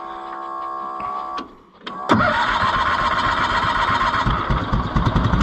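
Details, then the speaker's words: Cushman Truckster auction find being revived: catches after a few cranks and settles into a busy, slightly uneven run. It only keeps running with the choke fully in, which the owner sees as partly the problem, suggesting it is starving for fuel. "lucky it only runs with the choke all the way in so that's partially our problem"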